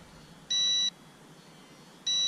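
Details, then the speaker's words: RC136FGS GPS quadcopter transmitter: two sharp high-pitched beeps about 0.4 s long and 1.5 s apart, warning that the transmitter batteries are low. "I hear that beeping that's telling me that my transmitter batteries are low"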